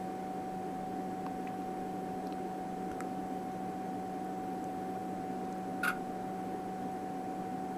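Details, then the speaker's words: Tektronix TDS 540A oscilloscope at power-on, before repair: single constant high beep held steady over fan hiss while booting, not normal; leaky electrolytic capacitors and broken PCB traces cause multiple self-test failures. "so this constant beep is not not normal there you go it booted up"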